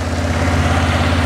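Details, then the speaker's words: 2006 Arctic Cat 400 ATV idling after a flywheel rotor replacement cured its no-spark fault. Even, unbroken low beat with no knocks or misses; oil had been drained and still needed topping up. Engine sounds healthy. "fired right off though was a little bit noisy of course we drained all the oil out of it"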